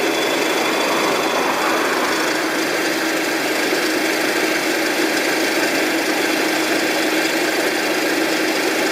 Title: RAWLING ENGINE NOISE 2